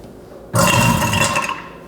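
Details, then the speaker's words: Garbage disposal with an object fallen inside: a brief harsh grinding rattle with a low rumble while it runs with something hard caught; power must be disconnected before retrieving it. "Something has fallen down into our garbage disposal and it makes a sound like this."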